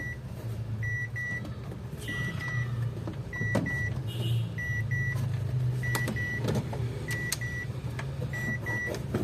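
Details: Ford Everest diesel after the gear selector cable with a destroyed bushing, which caused the no-crank, was replaced: engine fires and settles into a steady, even idle with short dash chime beeps; no misfire or knock.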